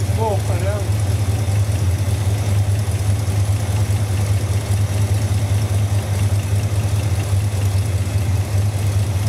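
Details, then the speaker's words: 1971 Dodge Dart idling after timing was confirmed at 0 degrees TDC on number one: deep, steady idle with a heavy low rumble and no clear miss. The vibration persists with cause unknown; a compression test is next. "still trying to get to the bottom of this vibration problem"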